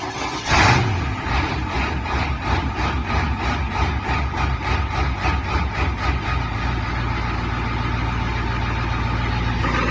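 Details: Ford F-250 diesel with starting problems: slow uneven chugging while cranking, then catches into a rough, low idle; glow plugs suspected, not confirmed; hard starting.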